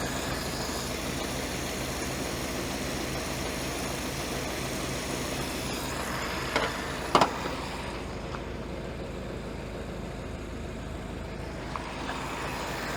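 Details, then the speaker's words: Ford-script Willys WWII army Jeep, after cleaning the blocked carburettor idle jet that had caused no idle: steady, settled idle with even firing, a couple of brief handling clunks; normal idle. "But for now, we'll just say that she's a happy thing with just having the idle jet cleaned out."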